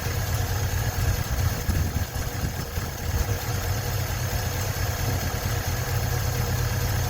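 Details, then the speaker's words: 1956 Ford truck, 45,000 original miles, running after 40+ years sitting: low steady idle holding its beat without knocking, banging or hunting; normal idle, battery light on, possibly not charging. "I don't hear any knocking or banging. Pretty good for having not run in 40 plus years."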